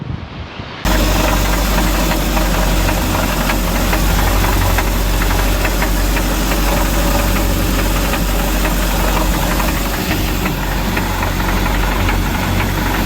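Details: 2006 StarCraft C-Star 1700 boat with Volvo Penta 3.0 GLP-D engine, on the water: heavy, fast, steady knock about four a second over the drone. Owner first suspected a gimbal bearing; rod knock from a spun rod bearing.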